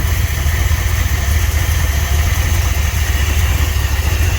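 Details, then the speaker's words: 1978 Ford F100 Cleveland V8, first runs after sitting 6 years, carburettor had been full of mud: deep, uneven, lumpy stumbling idle. "it runs under its own power, not very well. That is greatly because I think we broke 2 plug leads when I did the spark plugs on it."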